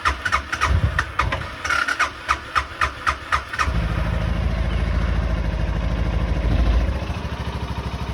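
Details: 2006 Suzuki Boulevard S40 single after oil change, in neutral with choke, probably unstarted for a few months: cranks a few seconds, then holds a steady deep thumping idle with a brief blip; healthy cold start.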